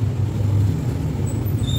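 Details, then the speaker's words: Old Honda Vario scooter idling: a low, throbbing note with a loud raw exhaust sound escaping through a large hole in the dented, corroded muffler before it is patched. "motor Vario lama ini knalpotnya bolong Lur ini kebentur-bentur ini jadi kalau Dias ni suaranya keluar dari sini ya kelihatan kan bolongnya tuh tuh ya bolong banget"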